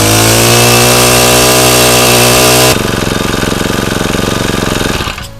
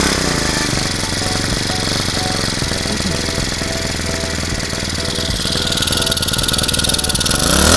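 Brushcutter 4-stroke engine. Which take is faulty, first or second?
second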